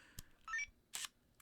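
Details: Leica D-Lux 1 (first version) digital camera at power-on: a short chirp, then a brief smooth motor whirr and a soft click as the DC Vario-Elmarit zoom pushes out cleanly. Normal lens extension.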